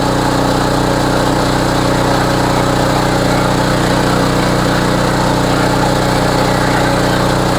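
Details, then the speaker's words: Homelite HGCA3000 3500 W generator after new carburetor and head gasket, warm, full load about 3,400 W from heater and hair dryer; firm, even drone at steady speed with no hunting or surging; normal running under full load. "oad does run really smooth though and it is very easy to start"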